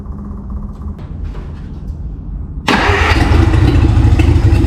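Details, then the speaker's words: Free 1951 Plymouth, formerly locked-up engine, Champion spark plugs swapped for Autolites, generator unhooked: quiet cranking then it catches at once and runs strong and steady, about 40 psi oil pressure; old plugs were the problem. "Those Champions suck. I threw some auto lights in there. I mean, this thing lights right up."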